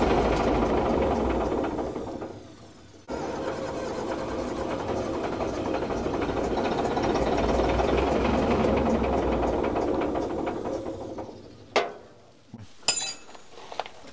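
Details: Old Fiat-Allis bulldozer, about D6 size, six-cylinder diesel, left sitting in the bush for years. Steady cranking about three and a half turns a second for about nine seconds without firing; crank, no start. Bleeding the injector pump is tried next.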